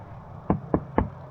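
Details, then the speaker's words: 1970s Mako 17 boat transom that flexes, tapped by hand: three dull, hollow taps about a quarter second apart with no ring or solid thud; hollow transom from a completely rotted core. "Listen to that hollowness there. This is all hollow, it's completely rotted."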